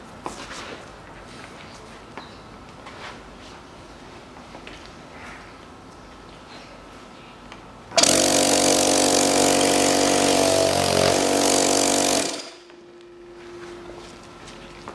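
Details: Air compressor after a long idle period and repair, with the plate refitted and held with lithol grease: about four seconds of loud, even chugging at roughly four strokes a second, then a clean stop; pumping normally.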